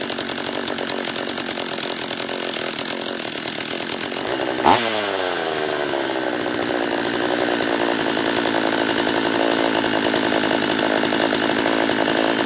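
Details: Refurbished Husqvarna 44 chainsaw on its third heat cycle after reassembly, carb leaned an eighth turn: it screams high and wavers, with an abrupt pitch swoop midway, never settling. It runs poorly; owner suspects a lower-end vacuum leak.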